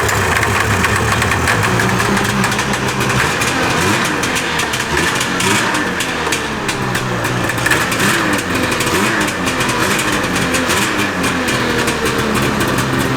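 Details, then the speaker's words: 1988 Yamaha Exciter II snowmobile, barn-stored about 20 years, after lengthening the fuel pickup: rough, busy two-stroke buzz settling into a steady run with small throttle wobbles; firing and running. "What? Oh, she's already. I can't believe that worked."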